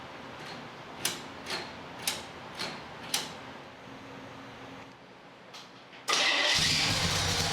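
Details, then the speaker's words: 1965 Chevy C10 with carbureted drag race 327 V8: five slow cranking beats, short pause, then catches into a loud steady roar; healthy normal start. "Man, that thing sounds so cool. You got to hear it from the back."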